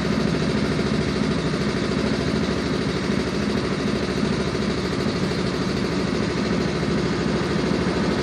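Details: Yamaha Mio M3 scooter at steady idle with a loose, irregular "klotok-klotok" clatter about two or three times a second riding on the beat; abnormal engine knock, cause not yet pinned down.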